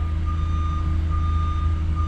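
Steady pulsing high beep repeating about twice a second over a deep diesel rumble, a backup alarm working normally while the truck reverses.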